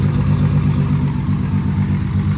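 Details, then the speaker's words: Turbo VR6 after a transmission swap, with the fuel pressure sensor wired into the ECU: a loping, choppy cam idle that is steady and catches cleanly, with no leaks; the engine runs normally. "Listen to that chop. Got that, man. Running."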